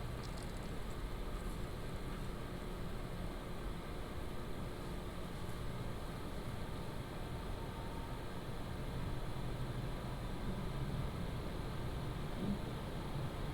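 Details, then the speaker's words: PCcooler DT360 ARGB Display 360mm liquid AIO, pump and radiator fans at medium fan profile under Cinebench load, mic moved away from the pump: a steady, even airflow hush with a low hum and no ticking, rattle or whine; normal. "I am going to run up the uh Cinebench to let you hear the load. Again, the profile on the fans are at medium."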